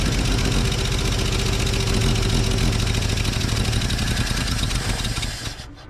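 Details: Old Chevy six flatbed truck "Fred", after finding a pinhole in the fuel line between tank and fuel pump, ethanol gas: low loping idle, uneven beat about three to four pulses a second, then dies; rough idle, carburetor not idling well.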